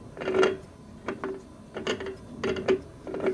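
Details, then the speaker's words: Rockwell Delta 15-665 drill press being refurbished, spindle turned by hand with electricals removed: uneven gritty, ratcheting grinding from worn spindle bearings, needing full teardown. "not ideal so and there's nothing it's just bearings that are doing that so i do definitely think i have to take that all apart"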